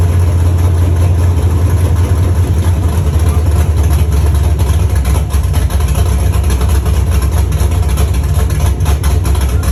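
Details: First start of a Chevy truck's cammed 5.3 V8 (Texas Speed 232/234 cam, 110 LSA) after a build: deep, loud, lumpy rumble at a steady idle with no knocks or ticks; sounds healthy.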